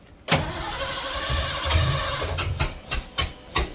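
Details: 1986 Ford F150, 351W with a newly fitted Holley Sniper EFI and HyperSpark distributor, first crank with low battery volts; steady cranking with a few sharp uneven pops as it tries to fire. The distributor was clocked wrong, number one set incorrectly, so the timing is off.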